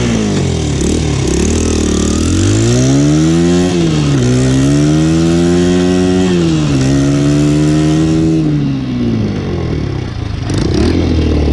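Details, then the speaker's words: Single-cylinder motorcycle after exhaust repair, old exhaust gasket removed for better seal, choke being lowered: revs up and down cleanly with even firing, no ticking or puffing at exhaust; no longer leaking, sounds sealed and healthy. "She's not leaking anymore. Sounds pretty good. Let me take the choke down one."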